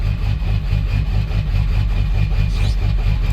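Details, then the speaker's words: 7.3 diesel truck idling after warming up: deep idle with uneven, stumbling lope, beats dropping out irregularly; starts missing once warm, owner suspects a bad injector, plans injector cleaner, not confirmed. "she not spraying right at an idle oh super annoying I let it run for a while"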